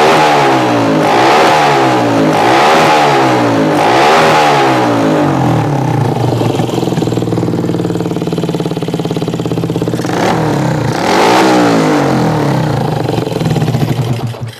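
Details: Yamaha Jupiter MX scooter after charging-system repair, revving: clean quick blips rising and falling freely with steady idle between, no stumbling or stalling; earlier hard starting and stalling came from a run-down battery that wasn't being charged.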